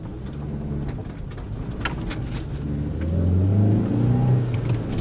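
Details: 2001 Hyundai Accent on test drive after front wheel bearing replacement: even tyre rumble rising smoothly with speed, no hum or growl turning left or right; healthy wheel bearing.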